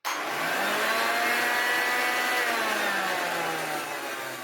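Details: Hoover Junior 1334 upright vacuum from a loft: high, rough wavering whine over airflow, one motor bearing completely gone so the shaft has play.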